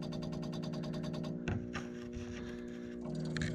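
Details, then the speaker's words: Trane A/C system after replacing a corroded control board, power restored: quick even ticking buzz, about four pulses a second, then settles, as the EEV motor runs its startup test cycle; normal electronic expansion valve test cycle. "You can hear that motor. It's running through a test cycle for the EEV."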